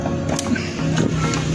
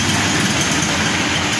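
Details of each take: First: Honda Beat carburetor scooter with hesitation and no power on initial pickup; test after enlarging and tapering a carb passage; revs climb unevenly, sagging and surging; still hesitates, later traced to too-small local jets, too lean. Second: Honda Beat carburetor scooter after fix of hesitation caused by too-small local jets running too lean, jets replaced with larger ones; short, even buzzing idle, steady speed, no popping or stumbling; normal idle.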